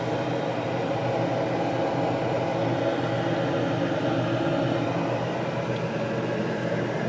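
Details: 2004 Whirlpool refrigerator, new but stored unused 13+ years, running after its first plug-in; smooth constant hum with a soft steady whoosh and nothing knocking or ticking. The compressor sounds normal.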